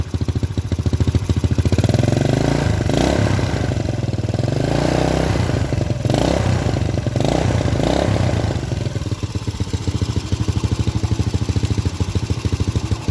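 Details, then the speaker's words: Honda Supra Grand carbureted motorcycle with recurring black fouled spark plugs and stalling, engine stays cool when hot: single idles and revs with dull muffled exhaust and lazy response; running too rich, carburetor jets to be checked. "terdengar teredam."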